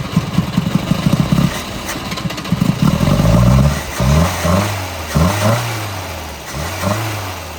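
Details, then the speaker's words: 1971 Volvo 142, B20B engine, 32/36 carburettor, fuel just added: it catches and revs unevenly, then sags and hunts lower and won't hold idle. Stalling; owner suspects a clogged carb needing adjustment or a rebuild. "it's running it doesn't uh it doesn't want to stay running though so it's definitely might it might have a clogged carb might need adjustment"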